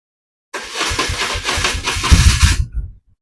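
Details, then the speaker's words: BMW R1150RT motorcycle: starter motor engagement gives about two seconds of uneven, lumpy cranking without catching; not missing or grinding, but it sounds like it isn't engaging fully; abnormal starter engagement, flywheel teeth to be checked. "What's happening is well, it's just a bit of a noise. It sounds like it's not engaging fully. It's not missing. It's not grinding. It just doesn't sound right to me."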